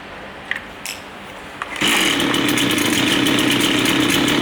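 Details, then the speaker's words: Line trimmer two-stroke during carburetor adjustment, before final low-speed screw turn: pulls a couple of times, catches, runs buzzy and uneven without settling; rough idle from too-lean low-speed mixture, fixed by turning the screw further. "So now we can see it's running, it's still not sounding right."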